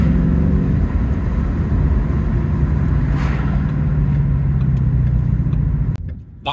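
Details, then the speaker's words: 2016 Ford Mustang 5.0 GT (S550) with manual gearbox and resonated Scorpion exhaust, unmodified, on the road: a steady whine over road rumble that sinks in pitch as speed drops. It is a normal gearbox whine, not a supercharger. "The gearbox just sounds like that, which some people think is a negative, but I think it's pretty cool."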